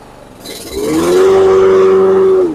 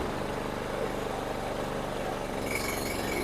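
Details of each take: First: Toro Super Recycler SR4 mower after blade clutch repair: picks up smoothly into a steady, even hum and holds speed without bogging. The blades engage cleanly. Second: Toro Super Recycler SR4 mower before repair: engine runs steady, then the blade hum swells in slowly, showing slow blade clutch engagement. Blades stall in high grass; the owner suspects clutch cable adjustment or the clutch belt.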